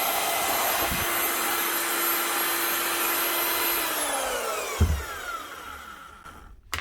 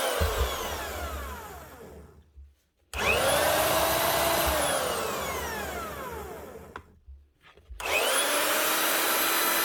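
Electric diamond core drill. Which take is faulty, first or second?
second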